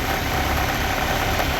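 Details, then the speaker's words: W202 Mercedes AMG, 4-cylinder, about 300,000 on the clock, at idle: light quick chatter over the engine note, a top-end rattle some mistake for timing; owner points to a small part found as the noise source. "that right there that little dog is the source of all the noise that it was having so for anyone that's getting the same noise"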